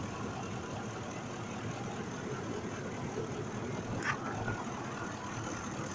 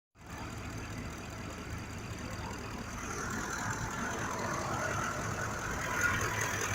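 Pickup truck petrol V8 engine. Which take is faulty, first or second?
second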